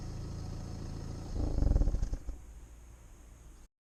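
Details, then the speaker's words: 2011 BMW 1 Series N47 diesel: steady idle then at switch-off a brief, loud, shuddering low growl that quickly fades. "I've also had several comments about how weird it sounds when you switch the car off. Like, apparently it growls, so I'm just going to record a video because I haven't heard it myself."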